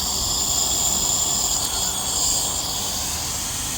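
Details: DAF LF45 bus, engine off, brakes held on: steady, loud high-pitched hiss as air drains from the braking system, traced to an unidentified button/valve leaking when brakes are pressed.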